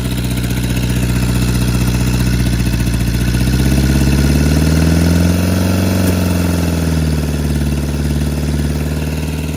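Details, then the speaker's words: Volvo restoration project just after distributor and plug wire refit and freeze plug repair: engine starts but misfires intermittently, revs rise and fall slowly at wide-open throttle with a stumbling beat; owner suspects plug wires on wrong distributor terminals. "It's misfire sometimes, and it does not respond when I'm trying to give it a quick gas, like throttle. It's wide open, and it slowly goes up and slowly comes down."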